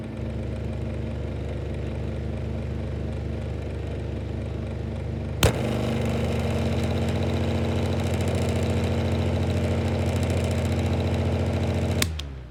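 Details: 2002 Woolworths 9-inch desk fan. Steady motor drone with a low hum rises to a louder, rougher tone after a switch click from low to high. The fan motor is noisy but still running; cause unknown.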